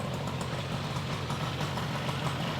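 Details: 1972 Yamaha LS2 100cc two-stroke twin with 784 miles, first run after sitting and a carb clean, with no air box; it took a couple of kicks to start. Steady, even idle with a quick regular popping beat and no misses: idle is good.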